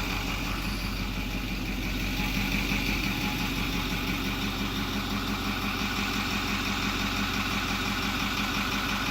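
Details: 2008 Ford F250 6.4L turbo diesel, after replacing the failing electric diesel fuel pump (mounted on the frame under the door; no-start, P2291) and purging: smooth, even diesel clatter at steady idle, no stumble, surging or misses; normal idle.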